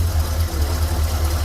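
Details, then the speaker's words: Engine with 34,000 miles that sat for years, after a new PCV valve was fitted to cure a lifter-like rattle: a smooth, even idle with no ticking. The noise is gone; a faint tick is suspected to be exhaust at the manifold, and the grommet may also need replacing. "Still clicking? No, it's just your engine. It's running smoother."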